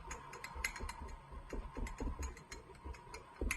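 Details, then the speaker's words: Ported Jonsered 630/266 chainsaw turned over by hand after laboring and not holding tune: slow, uneven dry clicks inside; crank bearing failure suspected, maybe wrist pin, crank to be replaced after splitting the case. "you hear that i don't like the way this sounds guys so whatever we'll split it and we'll put a new crankshaft in this"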